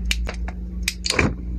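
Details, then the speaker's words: Clip fan hard-starting: motor gives a steady low electrical hum with a few handling clicks and no spin-up; worn shaft spacer binding the motor. "Ayan oh. Ayan oh. Oh. Umuugong lang siya mga ka-diy"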